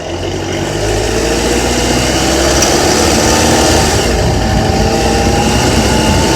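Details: Honda Accord with K24Z3 engine at 2200–3000 rpm: steady drone with a fast, loose metallic rattle on top in that rev band; cause not identified.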